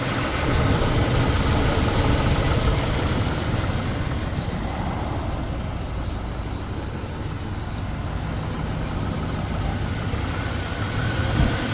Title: 1998 Chevy C1500 V8 5.0 slight engine knock at idle.